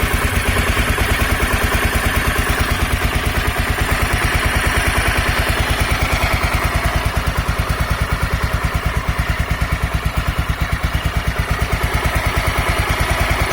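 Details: Honda NX 250 Dominator single-cylinder after addressing the tensioner, believed cause of its earlier noise: steady quick even idle thumping, no tick or rattle; normal running.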